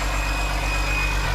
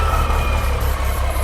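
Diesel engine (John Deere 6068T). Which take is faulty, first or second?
second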